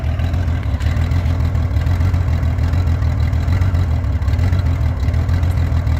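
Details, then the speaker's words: 1989 Honda Goldwing GL1500, fully warm, with freshly done timing belts and a reportedly cleaned carburetor: a low, uneven, lumpy, wavering idle that smooths at higher revs; it also surges on the highway and loses power, cause unknown. "It kind of smooths out once you get up there, but the needle's rock solid. But it's doing that bounce thing, and I looked up rough idle and I can't figure it out."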